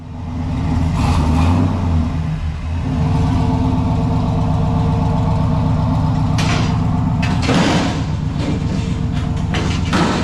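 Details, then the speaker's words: Junkyard 6.0 V8 swapped in replacing a burned-up 5.3, bearings checked, tuned: strong, even rumble picking up cleanly on light revs, no misfire; healthy, though owner notes an intermittent lifter tick to fix. "on good dude hell better yeah man this sounds good stick with us we'll get on the trailer a that sounds good dude"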